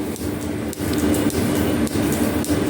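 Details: Restored metal planer, first runs with flat belts on crowned fast and loose pulleys switching between forward and reverse: steady hum with sharp click about every 0.55 s as the belt fastener passes the pulley, typical of flat belts; normal.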